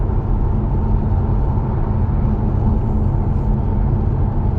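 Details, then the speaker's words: Jaguar XK (X150) 4.2 V8 at steady 50–70 mph cruise: smooth road and engine drone with no rattle or clink; interior rattle was traced to the heat shield, now fixed. "I can't hear anything at the moment definitely would have heard it I think but I know fixed"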